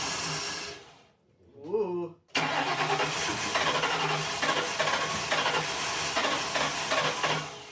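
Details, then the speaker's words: 2003 Grand Marquis cab-swapped project truck, not run for about three years, with old gas dispensed and fresh fuel added and a weak battery suspected: short slow crank, then catches into an uneven, lumpy idle with throttle blips; starts and keeps running. "I should have actually just left that on there, but it's running again."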